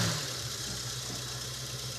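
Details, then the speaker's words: 1969 Mustang V8 started after 27 years of neglect, fitted with a new radiator cap and a can of leak-fix for a radiator leak. It gives a quiet, even idle with a steady low rumble and no misses, knocks or ticks. It is running smooth and healthy. "it runs mint wow we just ATF Wheels tires and go see monuments okay wow I'm down with that look at us wow this runs good"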